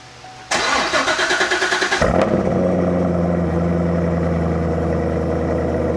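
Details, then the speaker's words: C6 Corvette Z06 with RPM heads, cam and supercharger, Billy Boat mufflers, first start in the shop: about 1.5 seconds of cranking, then it catches cleanly into a steady, deep, bassy idle; healthy start. "Yeah. It's definitely very bassy."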